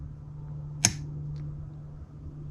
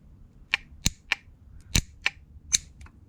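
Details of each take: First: New QUCC 200A relay-type BMS: one sharp click over a steady low hum as the discharge switch is turned off and the relay opens, dropping the load; switching as it should. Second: QUCC 200A relay BMS, old faulty relay: sharp uneven metallic clicks, about seven in three seconds, from the coil actuating while contacts stayed closed; owner suspects rod disconnected from actuator and spring holding contacts closed, unconfirmed.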